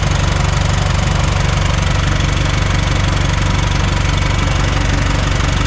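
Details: 1410 "Brutus" 24V diesel idling at 0 PSI air with the fan engaged, after its fan drive solenoid was replaced because the fans stayed on; the clutch turned out stuck open. Steady, even idle under constant fan rush, no extra noise. Normal idle with cooling fan on.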